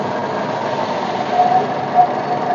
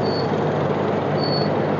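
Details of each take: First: Maruti Wagon R petrol engine idling unevenly with small surges after a service, a hunting idle from incorrectly gapped spark plugs (gap disturbed when plugs dropped during fitting); fix is checking and resetting all gaps. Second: Maruti Wagon R that hunted and misfired after a service; spark plug gaps checked and adjusted. Petrol engine now idles evenly and stably with no stumbles, misses or hunting.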